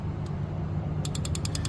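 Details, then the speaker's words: Acura Integra DC2 on a Link ECU with a new OBD1-to-OBD2 harness, injector test with injector 1 output on and the injector plugged into the cylinder 3 connector: sharp, even clicking about six per second, so wiring and trigger are good. "so as you can see it's clicking right so we're going to leave this alone"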